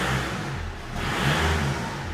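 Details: VW Golf diesel with a newly welded-in budget valved exhaust, valves possibly shut: revs up smoothly with a deep, even drone, no rasp, rattle or blowing; the exhaust sounds normal.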